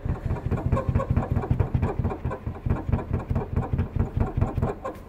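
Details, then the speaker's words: Toyota Hilux 3.0 (2005–2015 generation) idling; quick even rattle about four to five knocks a second from the back, traced to worn rear seat support mount; rear seat rattle. "olha o barulho de mossoró a milionário o barulho agora você imagina esse barulho uma trepidação na estrada de chão"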